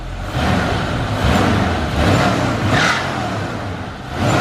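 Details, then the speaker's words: 1972 Ford Gran Torino 400 V8 with stock exhaust, driving after sitting 17 years; deep quiet note swelling and easing smoothly with throttle, no knocks or misfires; quiet and smooth, normal running. "That's how they come stock. Awesome. Look how quiet and smooth that is."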